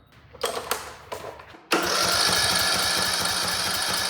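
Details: Troy-Bilt riding mower with Briggs & Stratton engine, no start, cranked after replacing a rusted, broken spark plug wire end, boot and plug: starter turns it quickly and evenly, nearly four pulses a second, never fires; owner suspects head gasket or pushed-in valve guide, oil smells terrible.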